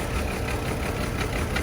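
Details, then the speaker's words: Chevy Trailblazer idling with an uneven, lumpy beat and occasional stumbles. Misfire on cylinders 3 and 5; unplugging those coils causes no change. Spark plugs, coil pack or ignition coil suspected, not confirmed. "So you check the spark plugs. Misfires, unplug to see if it changed. Got Misfire right there too."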